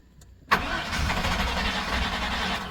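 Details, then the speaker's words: 1997 GM truck 5.7 V8, cold crank no-start, fuel pump previously replaced, booster battery on pump: starter spins evenly two seconds without firing; fuel pressure dropping, pump can't keep up, owner suspects corroded frame ground. "higher voltage to the pump runs good now still dropping pump can't keep up"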